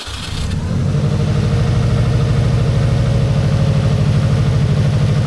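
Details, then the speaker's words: 1990s Japanese turbo AWD rally-bred car started after over a decade stored in a barn: catches within a second and settles into an even, steady pulsing idle with deep exhaust, no knocks or misses; normal idle. "hey that sounds all right oh well that sounded really [Music] [Music] good oh [Music] it sounds even better the sounds hitting the the far walls"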